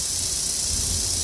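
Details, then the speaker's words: Homemade replacement gear cut from an RC gear, fitted in the gearbox of a Bachmann/Life-Like pancake-motor model locomotive: soft even hiss, no high-pitched whine; the new plastic gear runs smooth, quiet and stable. "really good being a different material is going to naturally have a different sound to it and what I'm hearing is it doesn't whine as much doesn't have that high-pitched tone to it"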